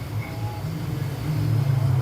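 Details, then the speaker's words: Epson S31 projector with no air filter, heavy dirt inside and lamp error: low steady hum grows louder and rougher as cooling fans speed up; abnormal noise, suspected lamp-related, not confirmed. "pega aí ele aumenta aumenta os coolers ó aumentou os coolers"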